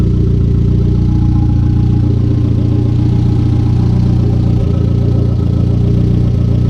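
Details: Conquest turbo G54B four, warm idle just over 180°F after a loose alternator wire was fixed, fans not yet running: a low, steady, even idle with a smooth throb and no misses or knocks; a normal warm idle.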